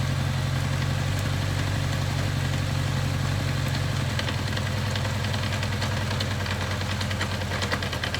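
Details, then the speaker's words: 1983 Kawasaki KZ750 Spectre four-cylinder, carbs just rebuilt and being tuned on the bike, adjusting carb number 2: low, slightly lumpy idle with uneven firing pulses; carb getting too much fuel from high fuel-feed pressure, running rich. "She's getting too much fuel. Because I got so much fuel pressure coming from the top feeding this, that's why we're pretty happy with that."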